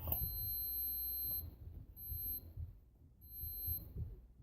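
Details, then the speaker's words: Cast-iron Briggs & Stratton breaker points, multimeter on continuity from the points terminal to ground, gap 0.013–0.021: three clear meter beeps as the flywheel is rocked back and forth. Continuity good, points clean. "And as you move this flywheel back and forth, you'll hear this beep or give you a reading for continuity."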